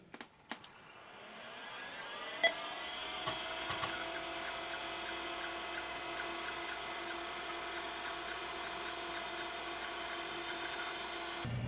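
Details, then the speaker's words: Western Digital WD362 / Tandon TM362 80s hard drive from a Tandy 1000 TL, days after oiling the spindle motor bearings: whine rises to steady hum with light ticks, no clunks; no more seek errors, working perfectly after repair. "there you go it's been a few days since I did the oil trick and the hard times working absolutely perfectly now no more random seek errors no more clunky noises it's all good"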